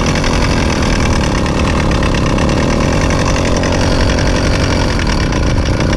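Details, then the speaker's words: Rebuilt Zeda Triple 40 (Zeda 80) motorized bike two-stroke, first start after rebuild: loud rough raspy grinding over the buzz, louder than before the rebuild; owner suspects the clutch assembly, head to be removed. "well she sounds like garbage hmm let's take the head off so the terrible grinding sound you were hearing once the motor started was the exact reason we rebuilt this motor in the first place but it's louder now than it was before we did the rebuild which leads me to believe that it's the clutch assembly"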